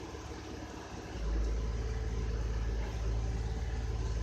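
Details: 2006 Honda Odyssey V6 idling in the garage during diagnosis of P2646 VCM code with a leaking oil pressure switch; low steady rumble, smooth even idle, no knocking or ticking; normal idle.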